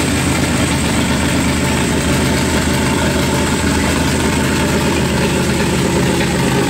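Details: Ford 2-valve 4.6 V8 swapped into a Volvo 240 wagon, first start: a loud, coarse idle with a spitting, uneven chug; running rough, cause unclear; leak at filter housing seen, vacuum leak being checked.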